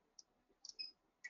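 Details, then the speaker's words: Avancé embroidery machine needle-depth check: a round grooved gauge is rotated under the needle in a quiet room, with light, high, scratchy ticks as the needle just grazes the groove. Correct needle depth; no rub would mean depth too high. "If it's not rubbing and you're turning it and it's you know, rotating freely, you've got it in there and you're rotating it but not hearing the needle touch, that means your needle depth is too high."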